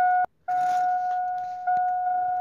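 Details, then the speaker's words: Car with flat 12V battery in a jump-start test with an 18V Milwaukee lithium-ion drill battery: at key-on, repeating electronic chimes with brief dropouts; voltage gauge barely reaches 9 volts. "so you can hear everything's not happy about the dead battery if I turn the key on you'll see the gauge barely comes up to 9 volts even"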